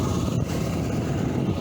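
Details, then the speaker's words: Glasstron boat outboard just after an easy start, on a test run with new smaller propeller and hydrofin, warming up: steady even low burble, no misses, surges, stumbles or hesitation; idling cleanly, no leaks. "Alright, we just started her up. No problems, it started up easy."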